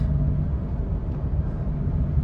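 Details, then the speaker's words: High-mileage Honda Pilot cruising: a steady low droning growl over road noise from about 40 mph, louder or changing pitch when steering right. Cause is the front right wheel bearing with dried-up grease, replaced in-vehicle. "now it's on the road it shifts fine but there is like a noise sounds like a wheel bearing noise"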